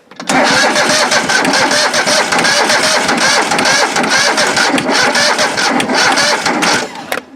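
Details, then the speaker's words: John Deere 185 riding mower sat two years, freshly installed battery, no starting spray yet: steady crank about seven seconds that never fires; weak battery or a connection issue suspected, and the choke was found gummy. "not the best battery in the world [Music] sounds like we got maybe a connection issue"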